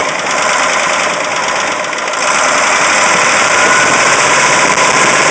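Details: Caterpillar 3208T diesel in a 613C, fresh injection pump and turbo, earlier run hours with pump over-advanced: quick regular rattle at idle, stops when #4 and partly #2 fuel lines cracked, less when warm; fuel/injector knock or piston/ring damage suspected.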